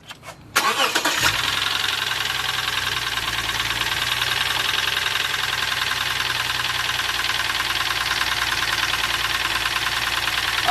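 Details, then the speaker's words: Engine with overheating and suspected blown head gasket, scanner showing cylinder 1 misfire: catches quickly then idles with fast uneven ticking and stumbling beat; knock seems louder from one bank, possibly cylinder 2. "he's getting cylinder 1 misfire detected cylinder one misfire detected"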